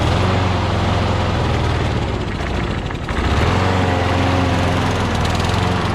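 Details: Craftsman push mower with crankcase oil way overfilled, smoking, oil in the muffler, suspected hydrolocked. Single-cylinder engine runs unevenly with a wavering beat and a brief stumble midway; rough running from overfilled crankcase oil.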